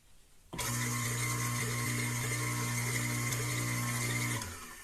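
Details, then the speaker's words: Water pump motor after repair of coil faults and soldered splices, dry-running mechanical seal: starts crisply into a smooth, steady hum with an even high whir until switch-off; normal motor run. "a zero, zero, 80 amperes O que é mais ou menos a operação normal desse motor"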